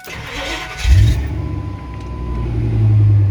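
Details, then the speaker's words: Lifted 2001 Ford Excursion with a newly installed replacement V10: short, labored crank from a worn starter before it catches and settles into a rough idle with misfires from failing ignition coils. "and the starter's kind of shot. I got a couple little misfire issues that I have to fix on it."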